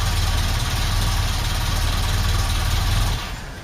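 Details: Ford Cortina Mk5 2.3 Ghia being broken for spares, idling: a rough, chuffing low puff under the engine note until it shuts off, fitting an exhaust blowing at a joint.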